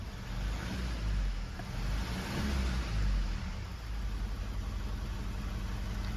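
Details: 2016 Mazda 3 2.2 Skyactiv diesel at idle: it shudders and surges unevenly. The misfire is attributed to a failed injector; exhaust pressure was checked.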